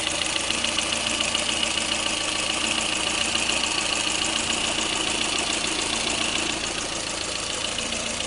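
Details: Lada Kalina engine at steady idle: sharp metallic tapping about twice a second riding over the engine; engine knock, cause unknown.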